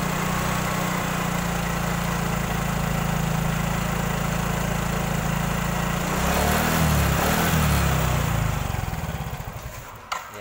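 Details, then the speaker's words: Yamaha Mio/X-Ride type scooter on centre stand, stationary: steady single-cylinder running, revs rise under throttle then the engine suddenly dies as if losing power, restarts then dies again; stalling from failing fuel pump. "Langsung mati ya, enak-enak digas, ngeng, tiba-tiba seperti hilang setrum ya."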